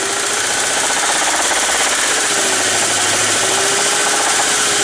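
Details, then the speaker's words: Junkyard core petrol engine revved to about 1800 rpm, with a loose, rapid knock under a loud hiss; the knock goes away when cylinder 1's coil pack is unplugged: busted piston in cylinder 1. "Alright, start it back up. You can hear it knocking now. Alright? Hear it knocking? Rev it up. Still knocking."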